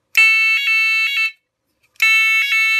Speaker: Donc quand j'enlève la membrane, je ferme le contact, donc je fais passer l'intensité et la sirène se met en route.